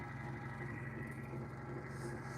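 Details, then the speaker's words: Sole F85 treadmill drive motor, microphone held right next to the motor: rough, rumbling drone with a steady hum on top; the motor bearing is failing, with debris inside the motor cover contributing. "probably heard that pretty loud that is definitely the bearing on that motor going out"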